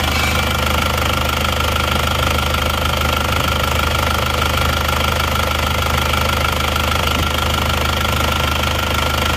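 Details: Isuzu Panther Touring diesel after overheating from running out of coolant on the toll road, original worn nozzles refitted with very low pressure readjusted; steady even idle clatter, no misses or heavy knock, no smoke, smooth.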